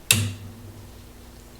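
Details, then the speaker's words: Sansui AU-101 amplifier with hum and a very weak left channel: a click, then a faint steady low mains hum. The filter capacitor had one leg completely detached and had leaked; hum stops when it is reconnected. "so the whole issue with the noise is see the noise is gone as soon as I reconnect that capacitor onto that eh so I am going to take this capacitor out there it's out there's the noise"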